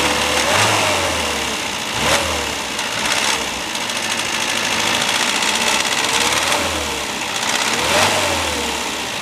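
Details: Classic Mini towed in for abnormal engine noise: engine running with a busy mechanical clatter and a chirping squeal recurring about every 1.5 seconds; source unclear.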